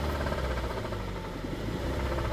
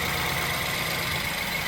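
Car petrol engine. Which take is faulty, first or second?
first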